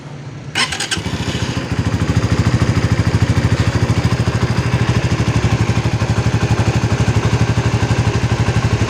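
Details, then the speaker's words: Suzuki GSX-R 150 after 6000+ km of touring, just started for warm-up: a smooth, even single-cylinder idle with no ticking. The earlier noise heard during morning warm-ups is gone, so the engine sounds healthy. "kan nggak ada suaranya Nitip ya bang suara itu halus loh"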